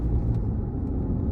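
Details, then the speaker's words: 2020 Chevrolet Colorado while driving: heavy low rumble and droning shake through the whole truck, nothing sharp on top; torque converter clutch shudder as it slips, with scan data showing frequent, abnormally high converter slip. "It's basically shaking the whole truck. Just keep driving and see those green lines right there going up and down. That's your torque converter slipping."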